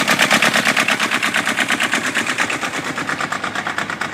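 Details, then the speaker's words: Kubota diesel microcar engine idling after rocker adjustment to 0.20 mm clearance: even rapid clatter with no extra clack-clack tapping that would signal bad valve lash; valves sound correctly set. "Surtout quand vous avez démarré le moteur, écoutez si vous n'avez pas comme un clac, clac, clac, clac."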